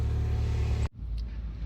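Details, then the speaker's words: Mini Cooper with P0304 cylinder 4 misfire, after changing spark plugs and one ignition coil: steady, even low hum with no stumble before shutoff; idling smoothly. "oh she's purring good she's purring really good"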